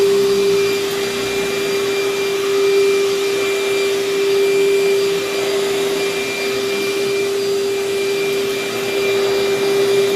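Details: Vacuum with good belt tension, minimal hair tangles, paper bag about a third full: steady even motor whine at one constant pitch, no rattles or surging; suction solid, running normally.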